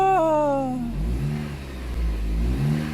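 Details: 2010 Jeep Compass after repairing a no-start caused by a rotted relay pin in a corroded box; revs drop cleanly toward idle, then rise and fall smoothly twice with no misses or knocks. New spark plugs still planned.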